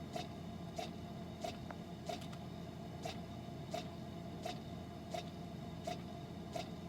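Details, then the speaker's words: Frigidaire side-by-side refrigerator LFSS2612TF4, fridge at 50°F while the freezer works; sharp ticks about every two-thirds of a second over fridge hum; damper motor clicking with the damper stuck closed; replaced with part 242303001. "I can hear the door clicking but it was not opening actually had this all off in my hands and then I was able to hear the door clicking but seeing no movement"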